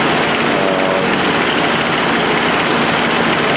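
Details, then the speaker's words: Nissan RB20DET misfiring after ECU change: busy, uneven, stumbling idle; cylinders 2, 4, 5 were missing, coil box swap fixed 2, miss remains on 4 and 5 despite swapped coils and harness, plugs there fouled, lacking vacuum. "It's running better than it was yesterday. Cylinders 2, 4, and 5 were missing. Swapped around coil box, got cylinder 2 running now. The miss is definitely between cylinders 4 and 5."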